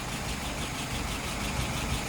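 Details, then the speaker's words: Restored metal shaper engine with rebuilt, adjusted carburetor: steady even low idle, smooth slow beat, no misses, knocks or hunting; idle about 660 rpm, fuel pressure 2.75, vacuum about 23, no leaks, float set right; normal idle. "All right, float set right. Current numbers are idle RPM is about 660."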